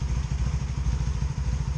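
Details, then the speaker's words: 2002 Honda Magna VF750C during rebuild: lumpy idle with soft popcorn-like popping on one side as a cylinder misfires; plug gaps confirmed to spec, new plug wires, cause still unknown. "you hear it missing hear it a little popcorn popping popping on that side"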